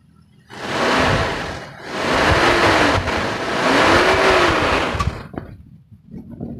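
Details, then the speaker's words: 1995 Toyota Kijang KF52, 7K 1.8 L four-cylinder, revved during sale inspection: engine blips up twice and settles smoothly, no knocks or rattles, still soft and smooth; oil fine, no smoke. Healthy. "Nah kita geber saja suaranya Masih normal enggak ada suara yang aneh-aneh nah enak banget ya suara Kijang itu kalau digeber emang suaranya masih smooth gitu masih lembut"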